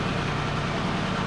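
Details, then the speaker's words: Porsche Cayenne Turbo after engine work and fuel rail refit: smooth, even idle with a steady low rumble and no knocks, ticks or misses; echoey garage, should settle further leaving open loop; normal idle. "It's echoey in here of course, but I'm telling you that's normal basically. And it will settle down a little bit in a second when it comes out with open loop."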